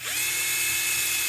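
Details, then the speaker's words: UDIRC Snow Leopard Pro 1/24 four-wheel-steer crawler, two-speed transmission in high gear: a high whine winds up for about a second before the drive kicks in, even with the trigger pulled quickly. Sluggish, unsmooth response. "get it in high gear here how it has to wind up that's not me gradually squeezing the trigger see do you hear it do you hear it kick in after a"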